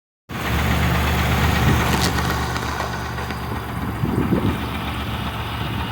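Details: Engine idling, uneven low knocking about three a second over a steady rumble, worse cold and quieter warm; suspected piston slap, unconfirmed; engine later failed under heavy load.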